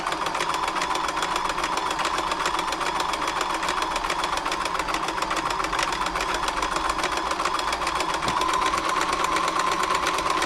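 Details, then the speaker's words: Frister & Rossmann 904 sewing machine after servicing, on stretch stitch; quick, even stitching clatter with no binding, knocking or labouring; runs freely. "it's a nice free machine now it's going lovely happy with that"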